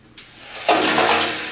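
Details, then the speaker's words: 1966 Ford Mustang fuel tank, removed and dried for days, shaken empty: gritty swishing rattle of loose rust flakes from the tank interior, plus the float heard; untreatable, so the tank is being replaced. "crud it's full of crud in there loose crud that's all rust flakes that flaked off the inside of the tank"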